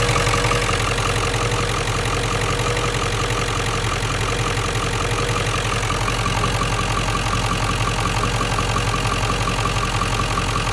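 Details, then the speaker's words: 1997 Ford F-350 7.3L Powerstroke diesel, 164,000 miles, idling with the serpentine belt removed: even diesel clatter and smooth rumble with no knock. This confirms the chatter came from the alternator's failed bearing. "yeah i'm good i'm gonna go get a new alternator and uh have a nice smooth running truck again"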